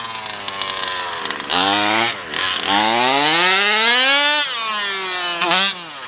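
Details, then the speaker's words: Losi DBXL 2.0 with a Taylor RC 35cc two-stroke and OBR 1254 carburetor: it climbs slowly and sounds flat at low revs, then clears and pulls hard past half throttle; the bottom end struggles and owner plans to adjust it. "So as you can hear, it kind of struggles a little bit at the"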